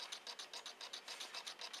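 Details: Homemade Joseph Newman-style pulse motor built from two microwave coils, running on nearly dead batteries only, before a capacitor is added. Light, even clicking about six times a second with nothing underneath; slow running from low battery voltage.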